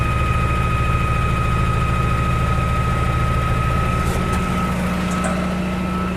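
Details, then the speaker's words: 1956 Oldsmobile 88 V8 at its first start after sitting, run off a portable jump pack: lumpy low idle at about three pulses a second while fuel sprays over the engine near the fuel filter, a line riding on the belt; fuel leak. "Oh, we got a fuel leak. Okay. We got a fuel leak from somewhere, spraying all over the top of the engine."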